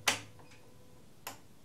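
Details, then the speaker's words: SolarEdge PV inverter with battery backup during a simulated power outage: two sharp, dry relay clicks about a second apart in a quiet basement; the system keeps clicking but doesn't restart, possibly a built-in protection. "I can hear it clicking in the inverter every now and then, but I can't figure out whether that means something is going to be switched on again right now"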